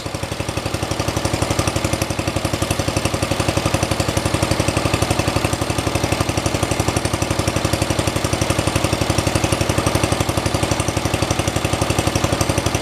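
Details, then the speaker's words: 1973 112 tractor, Kohler K301 single-cylinder, just started after head gasket replacement and valve adjustment (8 and 17) following loss of compression: even, regular low-idle thumping, no misses or valve clatter; idling better than before, normal idle. "There we go, it runs. Cool. Seems like it's idling a lot better after I adjusted the valves."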